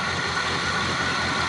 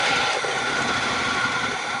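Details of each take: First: Old Z28 Camaro after sitting, fuel fed directly to the fuel pump and choke readjusted: starts easily and settles into a steady, even idle with no misses, knocks or hunting, running smoothly. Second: Crank-no-start on an engine whose fuel was drained after it last ran: two spells of steady cranking at about three and a half beats a second that never catch, as no gas reaches the carburetor; owner unsure if the fuel pump works.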